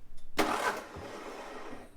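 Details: Onan MEP-016B 3 kW military single-cylinder diesel generator, fuel lines being bled; short burst of cranking that churns briefly then fades without catching, fuel not reaching the injector: crank no start, no fuel at injector.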